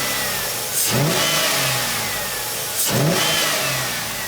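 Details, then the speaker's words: Stock 5.3 LS V8 with 4L60E swapped into an El Camino work truck, just started on the first start of the day: two clean rev blips settle back to a steady idle through quiet stock mufflers, a healthy, quiet-running engine. "And this thing is super quiet, man. Like I said, the motor, look how steady that motor is."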